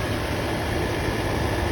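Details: Land Rover Series 2A after first start with new carburetor needle and seat, charge light now out after alternator work: even, steady low idle with no misses, knocks or hunting; running smoothly.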